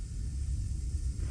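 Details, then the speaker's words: Rheem gas water heater, new burner assembly installed, lit from pilot: low soft roar with steady rumble, no popping or sputtering; normal burning sound. "now we've installed that burner and it's burning good now you heard that sound when it lit that that's what I was talking about earlier when you come into your attic or go by your hot water heater you should hear that sound that means that it's burning"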